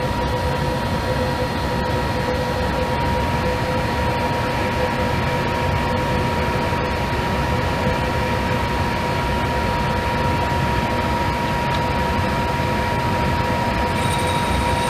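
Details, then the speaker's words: Monarch 10EE lathe running with newly finished steadyrest fingers installed, small workpiece indicated with a tenths indicator running perfectly true; steady even whir and hum, no knocking, chatter or rubbing. Normal running. "Let me get that out of the way and we'll fire it up and watch it run."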